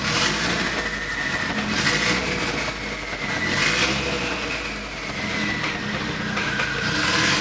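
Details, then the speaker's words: Nissan S15 Silvia with built engine, running with no exhaust fitted, new alternator charging 13.9 V: harsh, raw, tractor-like bark swelling with each throttle blip; loud because the exhaust is missing. "This thing sounds terrible. It sounds so bad."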